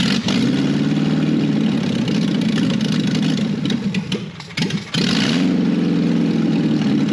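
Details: 1968 BMW 1800 barn find, pedal held down while cranking: long, labored cranking with a brief pause midway and no firing at all. The leaking external pump on the carburetor works somewhat; a blockage in the carburetor is suspected despite a clean bowl.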